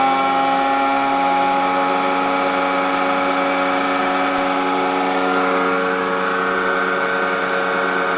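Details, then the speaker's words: Blower drawing woodgas from a homemade gasifier up a flare stack during its first test: steady even whir with constant tones, no surging or rattling; note changes when the lid opens, showing good suction; blower running normally. "good vacuum see if I can open the lid okay I open the lid if you can hear the change in the note of the blower means it's getting a pretty good section"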